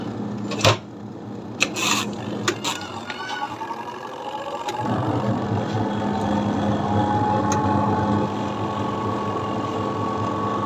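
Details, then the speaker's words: Washing machine whose wires were chewed by rats and whose motors were damaged, after repair and a long test run: handling clatter, then the motor comes up to an even, steady hum with no scraping or knocks; sounds healthy. "vai ayun na nga mga idol na-testing na natin siya ng matagal"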